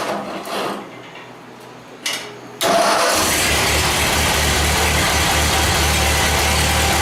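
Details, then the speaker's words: 1949 Ford 8N tractor after tune-up kit (points, condenser) install, run briefly on a temporary gas tank without coolant, carburetor unadjusted out of the box: brief crank, catches cleanly into a steady, even idle with no knocks or stumbles; normal idle. "well there sounds like she's a little bit of a tuner on the carburetor that's just right out of the box I didn't even I didn't just anything at all so that makes me pretty happy"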